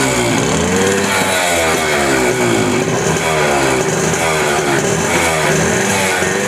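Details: Suzuki Max 100, 98.2cc air-cooled single-cylinder two-stroke, carburettor, after carburettor cleaning for missing and pickup problems: crisp buzz rising and falling cleanly with throttle, no stumbling, revs evenly; normal running.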